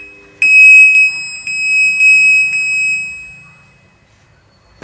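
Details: Godrej Fuzzy top-load washing machine gives a high steady beep about twice a second for three seconds, then does not start up; fault traced to a bad wiring connector to the control board (PCB).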